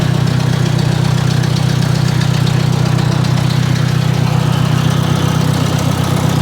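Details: Ford 600 tractor after work on the tractor, started with a little choke in the morning: even, low thumping idle about three and a half beats a second, steady and unbroken; healthy.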